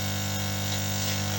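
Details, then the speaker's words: Lukey compressor-type soldering station from 2009, formerly very loud: a steady low hum with even piston chatter and no casing rattle or knocks; the remaining noise is the pistons. Runs normally. "Ну, в принципе, ээ, ну, кто в курсе, компрессорные станции, они вот так где-то, ну, немножко тише будет, закрыты будет корпус. А так примерно так же они и работают."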